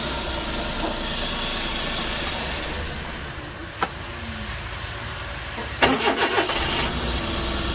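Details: Suzuki DA64V van flooded, crank-no-start with water in the cylinders: turns over, catches and settles into a steady run, revs up cleanly with no misfire or knock.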